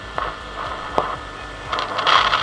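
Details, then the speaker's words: Philips Raag 2-in-1 tape recorder radio (FM/MW/SW) with audio playing: scratchy irregular crackling as tuning is turned; worn tuning gang capacitor, hard to source, repairable. "चलने के साथ साथ ये खिचड़ खिचड़ आ रही है ना, ये इसका, इसको गैंग कैपेसिटर बोलते हैं, गैंग बोलते हैं इसको। तो ये ख़राब हो गया,"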